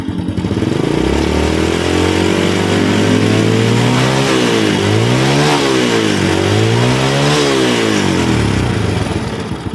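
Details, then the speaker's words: Honda Grand motorcycle that was hard to start on the electric starter, after replacing a weak CDI: revs climb smoothly to medium-high and fall back twice with no stumble or jerking; normal revving. "medium to high rotation normally, Bro. There's no jerking anymore"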